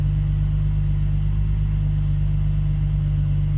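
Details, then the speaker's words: BMW E46 with eBay headers, after fixing header rattle, leaky injector and idle control valve delete: steady, even low idle, no ticking or metallic exhaust buzz; rattle gone, runs clean though idle a bit high. "let's start it up and see if the exhaust still rattles. Cross your fingers. I don't hear any rattles."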